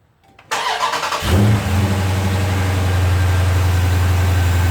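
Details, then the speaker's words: 2016 Dodge Charger Scat Pack V8 after a JLT cold air intake install, engine not fully cold (run earlier): starter whir, catches, steady high idle with low rumble and slight hiss; no check engine or warning lights; normal start. "Starts up. The car wasn't really cold. I had it running before for work, but it's got a slight little hiss."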